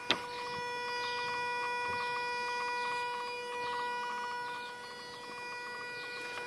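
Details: Mazda RX-8: steady, even electric-sounding whine with faint irregular ticking behind it; owner wonders if it is a pump or valves, unconfirmed.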